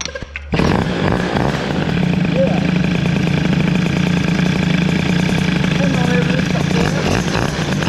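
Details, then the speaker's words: Peugeot 103 moped with a new Stage6 65cc cylinder and Boost head, first run: two-stroke buzz picks up sharply and settles into a steady, even drone with no knocks or rattles, variator beginning to open. "il y a pas de bruit de poau impeccable c'est propre le petit vil boostit son job"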